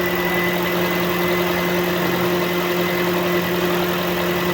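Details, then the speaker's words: Warm engine idling smoothly and steadily after a long run, with no vibration. The repaired cooling fan now switches on automatically with an even whoosh. There is no overheating and no check engine light. "yung makina, walang vibration. Gumagana na yung fan."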